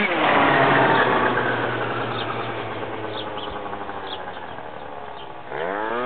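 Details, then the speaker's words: MBK Next Generation scooter with 70cc Stage 6 Pro two-stroke and Dell'Orto PHBN carburettor, rev test: revs up, then blubbers and sags unevenly at mid throttle before picking up at full throttle; part-throttle stumble, carburettor still needing adjustment. "Il y avait encore quelques réglages à faire au niveau du carbu, on l'entend bien, ça ratatouillait. C'est pour ça que je fais quelques accélérations pour voir. En fait, fallait ouvrir en grand. Si on faisait des parmi régimes, il avait tendance à ratatouiller."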